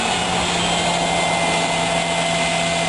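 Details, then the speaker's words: Toyota Camry after rack and pinion replacement and power steering flush, engine running while steering lock to lock: steady hissy, frothy whine from pump; cavitation from air in fluid, bleeding out gradually. "And you can see that, hear that cavitation noise. And as you keep on doing it from one side to the other, that will slowly take the air out."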